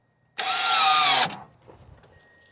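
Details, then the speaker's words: 1998 Subaru Legacy after landing in a marsh, believed hydrolocked: cranking gives a strained high whine under a second with no crank rhythm, then stops dead; something jammed, engine locked. "yeah definitely something seems jammed up in there"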